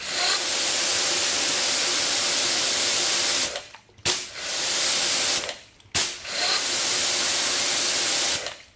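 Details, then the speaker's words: Pressure washer under test with 3.5 nozzle, around 1050: loud, harsh rushing run with faint steady hum, cutting out in repeated bursts; weird abnormal mechanical noise, cause unknown. "that doesn't sound good I don't know what that is I don't either"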